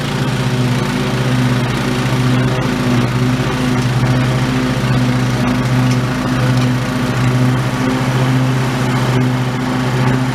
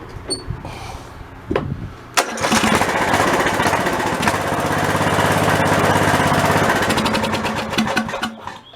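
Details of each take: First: Old OHV Briggs single-cylinder on White LT1300 mower after repair, mowing: steady even drone under load, no knocks or surging, governor holding speed; normal running under load. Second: White LT1300 lawn tractor with old OHV Briggs engine after a failure while mowing: a couple of cranking tries, then it runs rough and loud. The rattle is from loose baffles in a worn-out muffler. Rattling on start-up.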